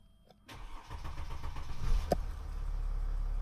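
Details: Cold start after fuel filter replacement and oil change, ignition cycled to prime fuel pump: starter cranks briefly, engine fires in about 1.5 seconds and settles into steady idle, much quicker than before.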